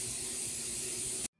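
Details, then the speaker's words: Hypertherm Powermax30 plasma cutter: loud steady hiss of escaping air that stops when supply is cut; compressed air leaking from the water separator filter bowl, likely a pinhole crack near the brass fitting, epoxy fix failed, bowl replacement planned. "I don't know if you can hear it or not but it is is still leaking there"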